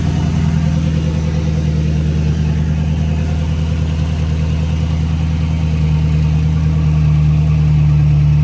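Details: 5.7 Hemi V8 Dodge Charger/Chrysler 300 after resurfacing the warped passenger-side exhaust manifold and replacing the gasket and broken bolts: deep, steady idle with even low burble, no ticking or puffing; exhaust sealed, normal idle.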